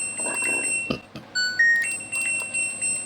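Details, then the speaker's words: LG Direct Drive front-loading washer after control module modification for hard-to-start fault: clean steady-pitch beeps, one per knob click, quiet room; modified button now only needed for startup, rotary selector and touchscreen normal. "Jadi si tombol ini fungsinya sekedar buat startup aja. Untuk rotary normal, untuk touchscreen,"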